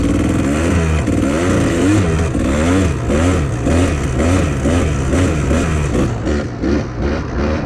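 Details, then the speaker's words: 1997 Kawasaki KDX220 two-stroke, air screw adjusted: uneven crackle and burble but now holds idle without throttle, still rich; uphill in third and fourth not very responsive, leaner pilot jet next. "Yeah, it just doesn't sound super responsive."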